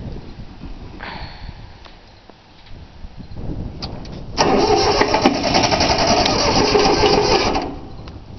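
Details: 3-cylinder Yanmar diesel, cold start after glow plugs, fuel lines not bled: starter grinds steadily for about three seconds without the engine catching; cranks but won't start due to air in fuel lines.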